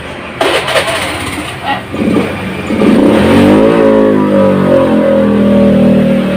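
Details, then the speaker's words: 2014 Honda Scoopy scooter with strong low and mid-range pull: revs climb from idle, then the note drops and flattens at full throttle instead of rising, returning when throttle eases; bogging at high rpm, TPS sensor suspected, unconfirmed. "teman-teman dengarkan tadi bahwa begitu grip gas kita Pulsar full ini ternyata motornya malah mala-mala malah ngedrop suaranya tetapi begitu kembalikan baru kembali greng"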